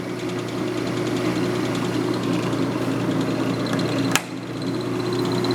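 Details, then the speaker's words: Ammco 4000 disc and drum brake lathe, 110V single phase, on factory stand, no rotor mounted, shifted at the back into fast feed: smooth even motor hum with a steady low tone and one sharp click; normal running on fast feed. "Go to the back, shift it into the fast feed. There's your fast feed."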